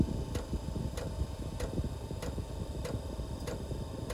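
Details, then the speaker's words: VEVOR 5 kW 12 V diesel air heater in startup mode after the glow plug warms: sharp, even ticks about every 0.6 s over a low rumble as the dosing pump starts metering fuel. Normal fuel dosing pump ticking. "Alright, y'all hear the pump just started ticking? And also it's got a fuel pump symbol right there."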